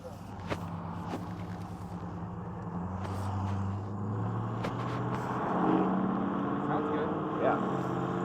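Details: Dodge Ram V8 truck with a third replacement engine, more compression, bigger cam and about 2000-stall loose converter, heard from the cab on a drive: steady even drone rising smoothly with road speed, road noise, no knocks or misses; normal running.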